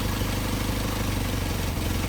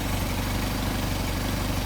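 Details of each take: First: Mercedes 190SL with Solex carburetors at idle during idle mixture screw adjustment: rpm changes as the screw is turned, idle goes lumpy and uneven, engine falters and nearly dies when mixture is set wrong. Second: Mercedes 190SL with Solex carburetors after idle adjustment, before idle mixture screw tuning: low, steady, even idle around 600 rpm with no misses or knocks.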